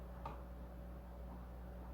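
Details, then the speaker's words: Replacement hard drive spinning up in an AMD FX desktop whose original drive had failed: a quiet, steady low hum with one soft tick at the start, smooth and even, a healthy drive and much better than the failed one. "if this does got anything on it oh that's a lot better than what we got before"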